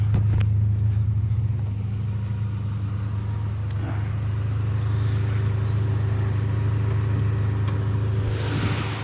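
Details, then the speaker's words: 1995 Honda Accord manual, after idle surging/dying in neutral fixed by checking oxygen sensor connectors: steady, even low rumble, idle holds smooth with no rise or fall. "but she's back to normal she's good"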